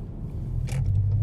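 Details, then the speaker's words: Toyota FT86 on a road test: short sharp knocks over low road rumble on bumps, heard loud from up at the steering column; diagnosed as a cracked, loose steering column bushing, a common fault on this model. "jadi penyakitnya itu kerasa di atas di sini bunyinya ya di atas bunyinya tuh kencang banget suaranya nah itu yang kena string kolom"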